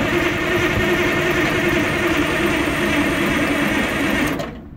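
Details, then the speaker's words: 1980 Michigan Clark 55B loader, Detroit Diesel, newly rewired, earlier leaking injector fixed and fuel system bled, starting from the cab: steady, even crank for about four seconds with no firing; turns over but won't start; battery suspected low. "so let's go ahead and see if it'll start of course today decides not to start"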